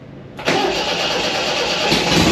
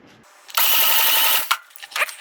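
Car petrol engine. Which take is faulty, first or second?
second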